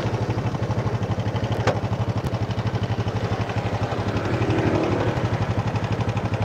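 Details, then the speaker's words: Honda Supra motorcycle still sounding rough after cam chain and bushing replacement: fast, even pulsing at idle with a coarse, rattly edge, as if something were loose, slow acceleration, chain found too loose; rough engine noise, cause not confirmed. "Ada suara aneh. Seolah ada sesuatu yang terlepas."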